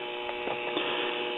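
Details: Crosley Cruiser record player with modified amplifier input: steady buzzy hum that depends on the volume setting, with distortion; the metal tone arm tube is not grounded. Ground loop hum from the ungrounded tone arm.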